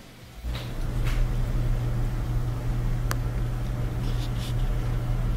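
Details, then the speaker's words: Bosch dryer after the fix: a small Phillips screw caught between the tumbler and front bearing, which caused a metallic noise, was removed. Now an even low drum rumble and steady hum with no scraping or ticking; normal running. "so it turned out to be a small Phillips head screw probably from somebody's pocket so took it out and then back to normal sanity dryer"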